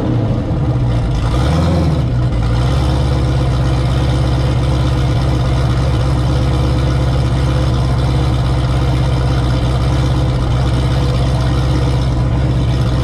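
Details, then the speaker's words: Turbo Camaro ("Cowmaro", 1200hp) V8 first fire in a while, fresh oil, warmed to operating temperature with coolant about 190°F; one brief rev, then deep smooth steady idle with no ticking or knock. Normal idle. "all right fired it up got it up to uh operating temp got the cooling up to uh about 190 degrees and it sounded good"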